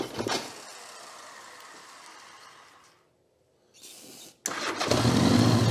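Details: 1982 Honda GL1100 Goldwing flat-four, stored over 12 years inside and outside: after a quiet stretch it catches and runs loud, ragged and uneven at low speed. Gummed carburetors keep the throttles from opening, with only a couple of cylinders firing.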